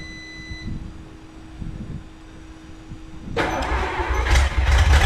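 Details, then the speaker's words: 1954 Chrysler New Yorker 331 Hemi V8, over 50 years in a salvage yard, fed by a roughly 5 psi pump with no regulator: it catches and runs loud, ragged and stumbling while pouring fuel; owner thinks it needs a tune-up. "Well, it runs, folks. Not real happy."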